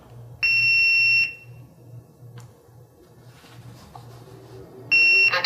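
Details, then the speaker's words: SeQual eQuinox portable oxygen concentrator powering on via power button, running on battery in continuous flow mode at 3.0 L/min: two steady high beeps a few seconds apart over a quiet low hum, then voice announcement; normal startup. "One thing you will note as soon as I turn the machine on, you'll hear a beep and then the device will talk."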